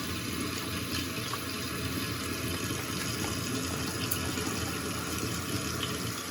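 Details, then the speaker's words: Toilet tank refilling after the flapper and/or fill valve were replaced to fix phantom flushing: a steady, even rush of water with no hissing or sputtering, much quieter than before; normal refill. "It's a lot quieter than the other one."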